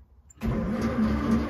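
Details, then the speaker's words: Royal limousine with dual SU carburetors, sitting since 1990, after freeing the stuck starter by tapping, clutch in: engine cranks freely with an even churning beat but never fires; no fuel yet. "case listen to that it's turning [Laughter] it is not stuck i got the starter to work"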